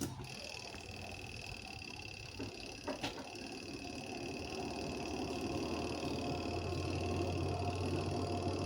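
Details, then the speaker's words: Indonesian washing machine spin dryer, previously loud and clattering from small cloth wrapped and caught in the spin drum; after freeing the cloth, the drum winds up to a smooth, quiet, steady whir with no scraping or knocking: normal spin dryer operation. "Tuh langsung mulus suaranya, Guys."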